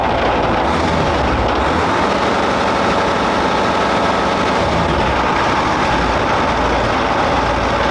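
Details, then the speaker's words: Big petrol engine and gearbox running steady and even with busy mechanical clatter, no knock or grind, no tracks fitted, not under load, after brake adjustment; gear rattle reportedly fades under load; normal running. "Sounds great, man. It sounds good. The brakes are operating."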